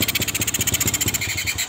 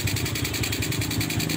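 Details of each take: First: Carbureted motorcycle idling heavy, uneven and stumbling, nearly dying, from a wrongly set carburetor air screw, before adjustment to find the lightest-sounding setting. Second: Older Supra motorcycle, carburetor idle and air screw setting: steady, even idle with regular low putt, no hunting or stalling; idle mixture set correctly by sound.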